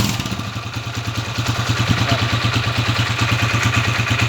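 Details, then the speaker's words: Motorcycle (TMX 155) single idling after valve clearance adjustment to cure intermittent rocker arm noise: an even putter at about three beats a second with no extra top-end ticking; normal idle. "yung andar niya ay pantay-pantay yung palo ng rer arm yan oh okay diretso lang siya"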